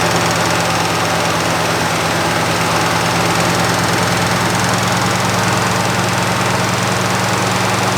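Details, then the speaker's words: 1963 Buick with original all-aluminum 215 V8, abandoned for decades, no coolant and a holed radiator hose; it started easily and settles into a steady, even idle with no knocks, misses or rattles. Sounds healthy. "it's got a hole in the radiator hose but it did start right up pretty easy"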